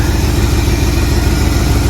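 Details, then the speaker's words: 1979 Jeep Cherokee AMC 360 V8, idling after first start in 3 years; power steering fluid bone dry. Deep, steady, even rumble with no knocks, misses or ticks; owner calls it smooth running, normal idle. "That's a smooth running little 360, guys. That's pretty good for not having ran for 3 years. Pretty happy with that."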